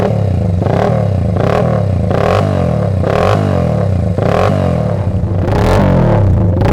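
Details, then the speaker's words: Restored 1979 Honda XR80 with a D&G big-bore tailpipe, unknown fuel: crisp repeated blips from idle, each climbing cleanly and settling back to a steady, even idle. Normal revving. "Now, this D&G big bore tailpipe is another quality item on this little XR Honda, and there's quite a decent growl from this exhaust, which we'll be able to have a listen to just shortly."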